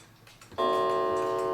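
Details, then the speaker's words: New England Calendar Clock No. 2710, after adjusting a gong that had fallen too far: a single clean gong strike with a steady, evenly fading tone, not too loud. Moving the gong closer would make it louder. "That sounds better. And it's not too loud. You can adjust this closer and would probably have a louder gong to it."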